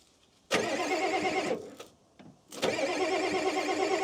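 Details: 1989 Ford F250 7.3L IDI diesel that sat 6 years: two short bursts of cranking with no firing. No fuel filter is fitted.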